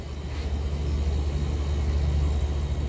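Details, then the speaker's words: Refrigeration cooler compressor that was not cooling, after finding a burnt relay, cleaning the pins and fitting a hard start kit: deep steady hum, starting and running normally at 6.5 amps and reaching temperature. "And I can already hear it humming, which is good. And we are getting 6.5 amps, which is great news. So there's half the battle. We got the compressor running."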